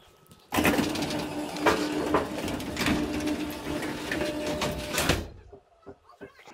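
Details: Garage door opener after the door was rehung on its track, the cable reset, hinges tightened and the door serviced: steady motor hum, faint belt rattle, a couple of light clunks, stopping cleanly; runs normally.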